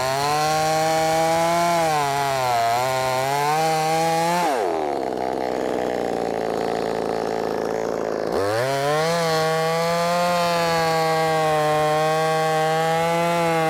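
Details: Brand new, unbroken-in Wemars 6220 clone chainsaw: high-revving two-stroke drops pitch while cutting wood, climbs back cleanly, strong even running; normal cutting under load.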